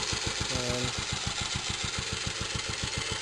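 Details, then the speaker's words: Freshly fully restored 1946 J.A.P Model 5 single-cylinder stationary engine, still warming up after starting on heavy choke: a crisp, even idle with no nasty knocks, a working breather and a flywheel that runs true. Normal idle. "you can hear, no nasty knocks. Breather there works very well. Flywheel runs true."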